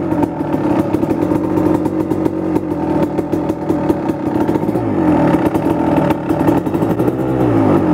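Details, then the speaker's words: 1999 Kawasaki KX250 Splitfire two-stroke, first start after full rebuild, warming up; crisp ringing crackle rising and falling with throttle, running even without misses; normal two-stroke running. "The plan is just pretty much let it warm up and idle until it gets warm,"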